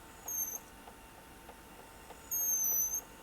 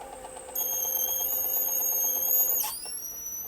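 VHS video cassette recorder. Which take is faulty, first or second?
first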